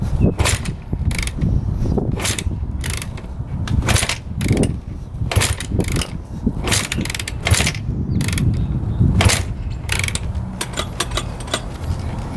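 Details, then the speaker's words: 2006 Honda CRF250R, fully rebuilt by the previous owner but never fired, kicked on choke with fuel flowing to the carb: clattering, whooshing kick strokes about once a second, no firing, odd loose-cam-chain-like sound. "Yeah, that's a no-go. Kind of sounds weird kicking it over. Almost like the cam chain's loose."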